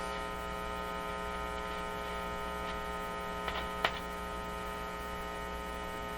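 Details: Canadian General Electric C701 console, warmed up, with no record playing: steady low hum with a buzzy edge; mains hum entering the amplifier, with unshielded wiring suspected but not confirmed.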